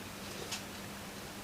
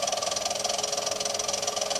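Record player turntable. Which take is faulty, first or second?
second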